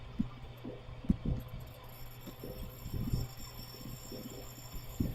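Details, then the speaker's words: Cooler with Embraco compressor on R290 drawing 0.97 A: low compressor hum broken by irregular chattering knocks as it ramps up, seeming to pull down and stop; technician suspects restriction or leak. "And okay, compressor just ramped up. You can hear that chattering noise. It's almost like the compressor's pulling down and stopping."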